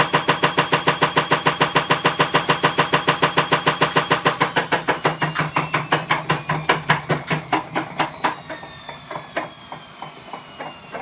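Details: Bosch Avantixx 6 WAE24366GB washing machine, drum spinning up, not near full speed: heavy regular banging about twice a second, slowing as it goes; broken drum spider (machine also trips the circuit breaker, element suspected).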